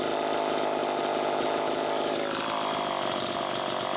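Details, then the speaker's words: Homelite Super EZ chainsaw test run after carburettor repair, high needle reset from about four turns out to one turn: screaming high revs with ragged uneven note, no steady pull; lean, crankshaft seal suspected bad. "okay it's easy to be deceived into thinking that it was good to go there that's part of why i ran it a little extra time that carburetor had a problem but i also believe that the crankshaft seal is bad"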